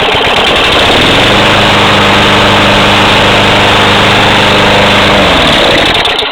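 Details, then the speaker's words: Tecumseh 6 hp Craftsman mower, 6-7 years old, about 30 hours, carb cleaned, new air filter and plug: runs flat out with a hard steady roar only with the throttle held wide open, then sags and dies within a second once released; cause unknown. "uh when I let go of it it uh started to I guess self adjust and uh it would actually stay on but the moment you let go of it um you can't start the mower"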